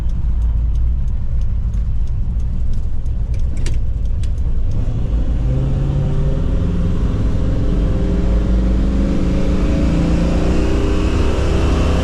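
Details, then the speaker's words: 1977 Jeep Cherokee Chief after new ignition and rebuilt carburetor: revs climb cleanly and evenly with smoothly rising pitch, no stumbling or popping; running much better, healthy acceleration. "we got the new ignition on this thing and rebuilt the carburetor so now we'll see what she'll do [Music] see if it runs any better [Music] it's already sounding better"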